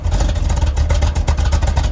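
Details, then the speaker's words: 1971 Corvette, rebuilt numbers-matching V8 with a cam, at low idle, heard from the rear exhaust. Deep, loping rumble with even firing and no misses; perfectly tuned and healthy. "Perfectly tuned and has that beautiful throaty sound."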